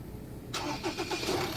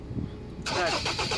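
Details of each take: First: Ford Ranger 2.2 diesel with a former crank-no-start, fixed after reconnecting the diesel line and topping up coolant (the found cause; another shop had blamed the pressure pump): starts cleanly and settles into a steady, even idle. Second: Ford Ranger 2.2 diesel crank no start: short burst of cranking with uneven pulses that never catch; no fuel reaching injectors, fuel system problem, PCM trouble code found on scan.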